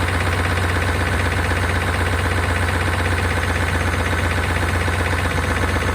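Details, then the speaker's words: 1992 Chevrolet Caprice wagon V8 parts car, sat in a field, thought seized; oil nearly new, about a quart low. Steady idle, fast tick about four per second over deep rumble on restart; owner suspects noisy lifters, unconfirmed. "see if we can uh fire back up and get those lifters to quiet down"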